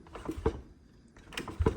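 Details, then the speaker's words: Begode Blitz electric unicycle suspension: two dull, hollow clunks as the shock fully extends (topping out), heard even with softer settings; rebound can be slowed via the right air chamber to reduce it. "like you can adjust the blitz to be more comfortable but you will still have a clunk while it when it fully extends so take a listen the clunk"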